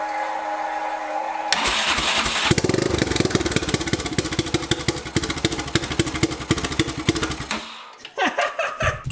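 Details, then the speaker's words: Turbo 660 lawn mower on C16 fuel, first start after checking for fuel leaks: brief cranking, then it fires immediately on the key into quick, even firing pulses before shutting off, a clean start. "it just fired right away with the key"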